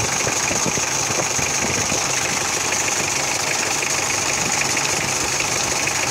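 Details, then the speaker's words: Mitsubishi Adventure idling after its 8-blade radiator fan was replaced with a 10-blade fan: steady, even idle with a soft airy fan whoosh, no slipping or flutter. The weak fan was blamed on its silicone oil clutch; now smooth and quiet. "Smooth na. Wala na rin yung ingay, no? Nawala yung ingay. Smooth na."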